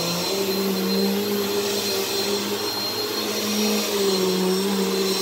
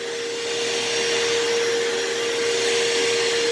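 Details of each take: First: Repaired "baby blue" classic vacuum, said to work perfectly: an even, steady motor whine that dips briefly in pitch as the load changes, then holds smooth. Normal running. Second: Partly repaired vacuum that is very hard to push: a steady high motor whine with a rough airy rush that sounds strained. The motor runs with better suction than before but still needs more work.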